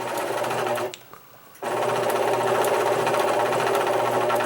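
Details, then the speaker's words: Singer Quantum XL1000 computerized sewing machine, donated and too noisy to use, already cleaned and lubed: runs at a fast even stitch rate, stops and restarts with a rough grinding whir over the mechanism; main motor bearing found worn out. "there's something else wrong with it it's making a grinding sound uh that is not promising"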